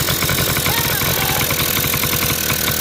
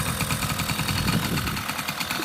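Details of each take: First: 1980 Honda Express scooter after its clogged, filterless carburetor was cleaned: a small two-stroke buzzing at a high, steady speed that never drops back to idle; runaway idle, with an air leak or the idle circuit suspected. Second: 1980 Honda Express scooter, revived after not running: quick, even two-stroke putter at a steady idle with a light rattle on top; starts right up and idles smoothly.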